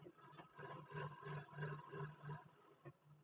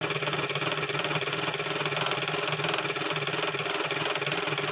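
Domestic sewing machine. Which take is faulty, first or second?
second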